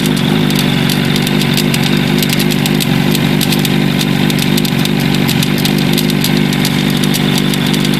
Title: Katana rattle noise